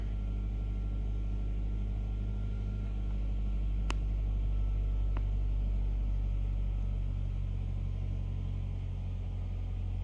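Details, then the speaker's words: 2015 Nissan Altima 2.5 with P0014 and P0300 codes and rough misfiring idle, after replacing the stuck faulty part: at start the idle is steady, a little high at first and then dropping, with a low even rumble and no stumbles. "as you can see the idols steady now who wants little little high but it's gonna is gonna drop"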